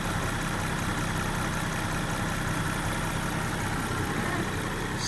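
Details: 2022 Land Rover Defender 110 X-Dynamic, 32,792 miles, idling with hood open: smooth even idle, steady low hum, no knocks, ticks or misses; engine sounds healthy.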